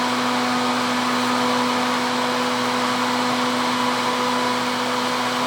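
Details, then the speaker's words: Repaired Husky Pro air compressor with a modified cooling system directing air over the fins: a strong, steady air rush with an even hum, no wobble or rattle. More airflow than the original flywheel; the fan runs normally. "it's uh it's blowing really hard lots and lots of air as I said I would really I think that don't think the flywheel produced that much air"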